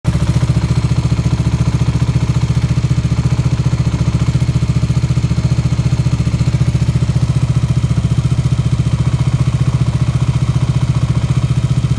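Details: KTM Duke 125 at idle: a fast, very regular clatter on every beat from the left side of the engine, present with the clutch engaged and gone when the clutch lever is pulled. Cause unknown.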